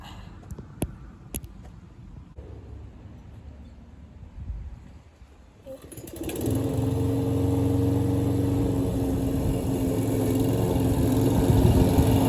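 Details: Troy-Bilt self-propelled mower after carburetor needle seat repair, mowing grass: catches after a few quiet seconds, then a steady even drone with no hesitating, bogging or surging under load.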